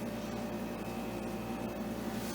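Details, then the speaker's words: Modern air conditioner, under two years old when thrown out, on high fan speed: loud, steady fan roar with a fine buzzing rattle that shakes everything, probably because its shroud is broken; other rotary units didn't do this. "and then turn it up it's loud it rattles everything it's probably because of that shroud being broken"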